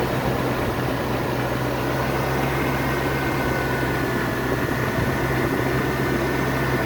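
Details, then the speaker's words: 1994 Range Rover petrol, in park after distributor non-start fix and tuning: steady, even low hum with no knocks or misses; smooth healthy idle. "Sounds good, doesn't it? Little bit of Church House Classics magic going on here."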